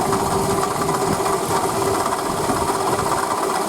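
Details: Toyota Camry 40 2008, 2AZ-FE 2.4 L, 176,000 km, original water pump, idle: fast even ticking knock with faint whine; failing water pump bearing, confirmed and fixed by replacing pump, belt and coolant.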